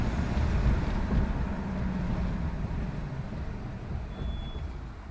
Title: Test run after vacuum leak/clogage